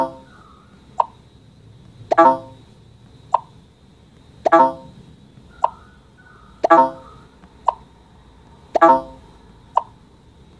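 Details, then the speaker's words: In a speaker crackling comparison against an iPhone 8 Plus, the phone apparently being an iPhone 6 repeats a short game tone cleanly, with light taps between. There is no crackle or buzz: clean speaker playback. "I accidentally cast off guess the right way just now but yes again here when I do that 10 incorrect guess again you can't hear any of the crackling noise"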